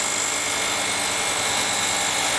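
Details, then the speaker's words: 2006 Ford Escape after new alternator and belt, running at 14.3 volts: steady harsh high-pitched hiss and scrape with a thin whine, first thought to be the fan hitting something; the alternator pulley is rubbing its case. "14.3 volts no more battery light i don't like the sound though sounds like the fan's hitting something oh what the hell"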